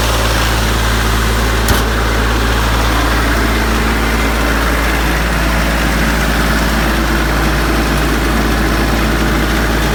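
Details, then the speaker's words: Branson 3520h tractor diesel after valve adjustment for a tapping/slapping valve noise, settling into a smooth even idle chug with no tapping; repair fixed it, normal idle. "we got it all put back together uh let's see everything's tight i'm gonna test it out see if it sounds like it's tapping like it was before"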